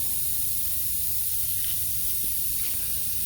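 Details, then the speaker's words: 2006 Honda Odyssey flat tire, valve cap off, engine not running: a steady, sharp hiss of air escaping at the valve stem; leaking tire valve core. "now obviously you could just hear it leak it out there what it's going to be is that valve core"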